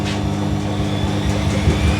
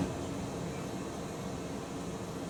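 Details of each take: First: Maloney front-loading washer attempting 1100 rpm intermediate spin: heavy low rumble with uneven thumping pulses as the drum spins up; load badly unbalanced and shaking the machine. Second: Washing machine with shallow drum paddles on wash: quiet hum, then a soft rhythmic swish-thump about three times a second as the drum turns; normal paddle sloshing.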